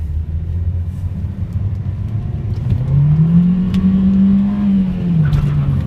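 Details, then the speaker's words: Honda Civic with a wrecker-sourced engine, after a valve adjustment and cleared misfire codes (before: slight misfire at idle): smooth low drone rising evenly in pitch under acceleration, no stumble or misfire; now runs much better. "it's running I feel like a different it runs a lot better"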